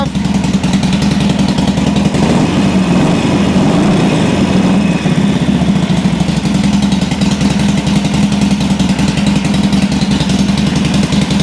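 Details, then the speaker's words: 2007 Sportster 1200 Custom on a lift, in neutral, after a no-crank complaint. Steady V-twin idle with a regular loping pulse and no knocks or misses. Charging measured 13.4–13.5 V, so the stator and rectifier are fine; the fault was a bad battery with no cold cranking amps. "It's in neutral. All right. Now, I want to check and make sure it's charging. Make sure it's not a stator or rectifier issue. Sounds good."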